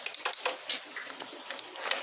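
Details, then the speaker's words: Dafra Zig 50 cc scooter that won't electric-start: key on, start pressed with brake held gives only scattered light sharp clicks, no cranking; battery and starter relay checked next, cause unconfirmed. "se a moto se você tiver fazendo esse barulho aqui vocês vão tá virando aqui a chave apertando start e o Freio fazendo esse barulho aqui"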